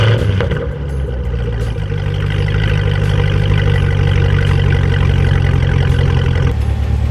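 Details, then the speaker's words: Fifth-gen Camaro pulling away: engine rising with several sharp clicks from the rear axle/wheel area as load comes on and off, worse under hard acceleration and worsening over 2–3 months. Cause unconfirmed; owner suspects the wheel and axle assembly. "so as you guys can see or as you can hear doesn't sound good and it's definitely something that i'm gonna have to address very soon"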